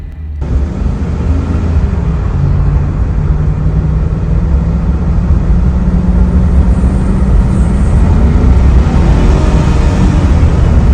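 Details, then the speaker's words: Automatic transmission: steady hum with a thin whine rising with revs, noted especially in reverse; suspected planetary gears or oil pump starved by low fluid, dirty filter or suction restriction, unconfirmed. "Este ruido usualmente suele ser por los engranes planetarios o la bomba de aceite, pero no por un desgaste de estos, sino por la presencia de baja cantidad de aceite derivado por un filtro sucio, restricción del aceite en la succión de la bomba o simplemente le falta aceite a tu caja."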